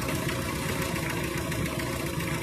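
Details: Toyota 2C diesel idling with an uneven, lumpy clatter and no steady rhythm; a rough idle, with injector balance suspected.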